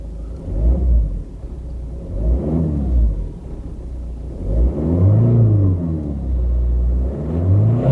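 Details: Ford Focus 1.6 diesel after MOT repairs with one dead glow plug found and codes cleared: low diesel rumble rising and falling smoothly with revs, no knock or misfire; no management light, oil pressure light no longer flashing.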